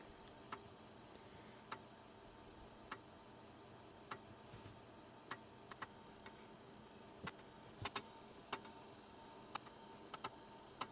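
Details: Replica Commodore 1581 floppy drive, newly built, formatting a disk after earlier 'drive not ready' errors: sharp dry ticks about a second apart over faint hiss as the head steps track to track; format succeeds, 3160 blocks free.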